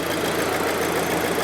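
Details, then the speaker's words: 2008 VW GTI 2.0 FSI turbo (BPY), 209,000 mi, after replacing a destroyed timing chain tensioner, the chain and a damaged high pressure fuel pump: smooth even idle, much quieter at the timing chain end, with no rattle or ticking; normal idle. "so I rechecked all my connections and restarted it and now it's running fine and I don't know if you can hear it just way quieter in there now that there's"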